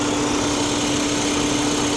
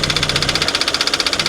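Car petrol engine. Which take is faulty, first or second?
second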